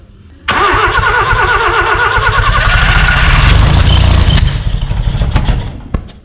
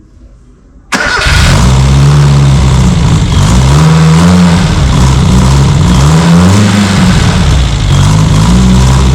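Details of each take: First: Austin 7 rat rod engine after 15+ years sitting, carburettors uncleaned: catches after cranking and runs rough with sharp pops spitting back through the carburettor; owner suspects ignition timing isn't quite right. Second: Austin 7 Special rat rod engine, sat 15+ years, start after fuel leak fixed: catches after short crank, settles to steady even low idle, no obvious knock; owner earlier suspected big-end bearing noise, condition unknown.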